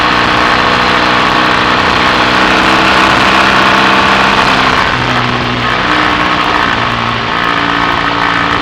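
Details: BSA A65 Thunderbolt on test ride after closing spark plug gaps to cure Boyer ignition misfire under load (new plugs, resistor caps, battery; clean carb): pulls cleanly, steady exhaust beat, no stumbles; normal running under load.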